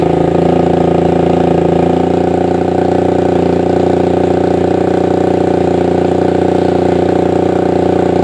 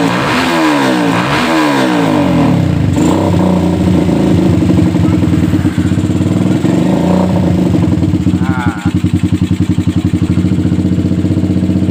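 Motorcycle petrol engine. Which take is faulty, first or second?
second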